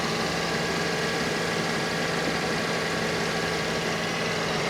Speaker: Engine sounds good. You can hear the compressor cycling on and off.